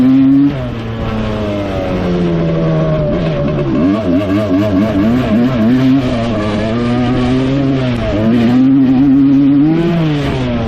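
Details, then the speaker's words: 1986 Suzuki LT250R two-stroke quad (early, no power valves) under riding load: revs climb then flare and sag as the gearbox pops out of every gear above first into neutral; jumping out of gear, shifts fine manually. "every gear besides first gear you can hear it drop back into neutral um seems like there's neutral between each gear after first gear so second gear third gear fourth gear fifth gear sixth gear it pops out of gear and uh you won't go anywhere"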